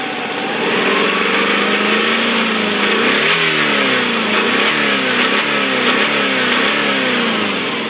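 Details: 1997 Subaru Legacy Outback revving: loose knock on revs, noise present about 50,000 miles; owner suspects connecting rod bearing, kept at bay with heavy oil and STP.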